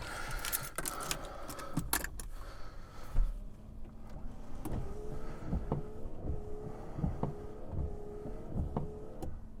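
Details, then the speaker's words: BMW E36 328 wipers after cleaning wiper relay contacts (fault: wipers wouldn't turn off at higher speeds), car stationary: handling noise then soft motor hum, regular swishes, light thump at each end, on/off, intermittent, medium and full speed; normal wiper operation. "Works on the on off. On the intermittent, it looks fine, we'll wait for that. Yep, medium speed. And full speed."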